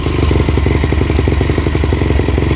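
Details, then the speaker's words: Yamaha YFZ450 with 480cc big bore kit, freshly rebuilt after a blown head gasket, 65 pilot and 175 main jet, running through heat cycles: steady single-cylinder thump with quick light quarter-throttle blips; runs clean and even while warming up. "So let this thing run, do a couple heat cycles."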